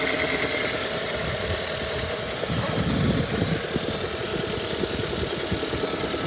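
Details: 2017 Hyundai Sonata plug-in hybrid: quick light ticking, fairly loose in rhythm, over a steady petrol idle; cause undetermined, the dealership and one mechanic say the engine is fine, another said it would fail.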